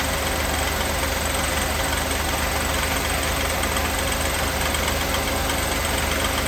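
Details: 1988 Mercedes 560 SEC (W126) at idle: a dull knock repeating at about three per second over a steady idle that grows louder until the engine is shut off; an internal knock of unknown origin.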